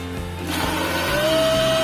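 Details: Philips blender after replacing the broken, burnt drive connector on the motor (blade would not turn though motor ran), glass jar fitted: steady hum settling to even constant pitch, no grinding or stalling; runs normally.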